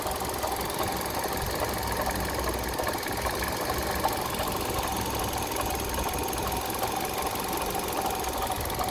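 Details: Kia Rio 3 engine at idle: fast, light, regular knocking riding over the idle without letup; engine knock, cause unclear.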